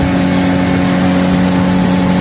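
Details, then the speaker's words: Mariner/Mercury four-stroke outboard on test run after fixing the overheating alarm, now pushing much more cooling water out the exhaust: steady even drone under way, no alarm buzzing, running normally. "well you're a captain Solana our Lee Valley I hide Sunrise"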